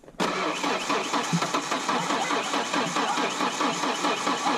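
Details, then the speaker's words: 2.3L Ford Ranger with a 2.5L cylinder head fitted, first start attempt: the starter cranks at a steady, even rhythm for several seconds but the engine never fires. Only a little gas was added, the jug leaks, and siphoning is suspected. Crank, no start, low fuel. "Might not have enough gas to run. I think it might be our gas. That has to be our gas."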